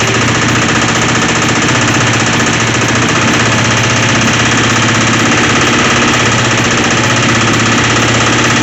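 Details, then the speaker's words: Revived twin motorcycle with cleaned carbs, new fuel line, fuel tee, tank valve seals and ignition switch: it starts and idles with a loud, constant metallic knocking rattle. Source unknown. "It runs, starts, idles, and sounds like absolute junk. Yeah, it's got a bad rattle in it."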